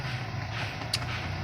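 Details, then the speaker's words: VW Polo AC blower motor after its faulty part's shaft was pulled out as a temporary fix (total replacement needed) for a loud tak-tak noise on switching on AC: smooth, steady blower hum, one light click, no tapping. "लेकिन गौर किया इसका seven किया अब इसमें कोई आवाज नहीं आ रहा है"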